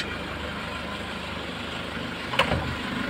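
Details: Nissan Patrol ZD30 diesel with low compression, after an hour at normal temperature: steady, even idle with a low, smooth beat and one brief clack near the end; some blue smoke and a slightly noisy timing chain noted; normal idle.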